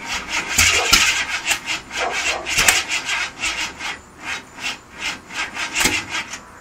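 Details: Fresh 351 Windsor bored .060 over with solid cam and Dart heads: rhythmic cranking about three pulses a second that never catches; turns over but won't start, owner suspects carburetor or distributor.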